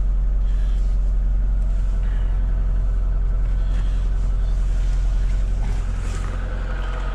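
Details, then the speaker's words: Lada Niva Travel 2021, 24,900 km, cold start on a frosty morning: smooth, even low idle hum with no knocks or ticks. The engine is running normally while warming up. "мотор работает ни стуков ничего все прекрасно"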